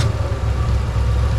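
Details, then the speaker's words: 1963 Mercury Comet 260 V8 with Autolite 2100 carburetor; deep, smooth, even idle with no stumbles; a blip of throttle hit a dead spot and pulled a wire off, but the engine and carburetor run as they should. "that's the way you want that baby to run give her a little bit of gas in the dead spot oh man dead spotted it and pulled our wire off but uh she runs like she's supposed to"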